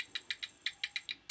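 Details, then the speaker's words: Dell OptiPlex 760 with flashing orange light, peripherals disconnected, power-on attempt: about eight sharp uneven high snaps in 1.5 seconds, no life; arcing, power supply suspected dead. "no it's like sparking I can hear it that's been done right next test"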